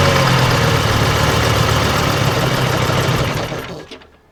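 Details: AVGP Husky armoured vehicle diesel, sat outside 10–15 years, first start attempt after restoration work: steady starter churning about four turns a second, winds down without catching; cranks, no start, cause suspected fuel supply.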